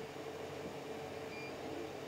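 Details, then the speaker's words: CR-10 3D printer after swapping the hotend fan for a Noctua fan and fitting vibration dampeners to the stepper motors: only a soft, even fan hiss and faint steady hum, no stepper noise. Normal quiet operation. "prettier is previous upside me right now and apart from a bit of fan noise you can probably barely hear anything"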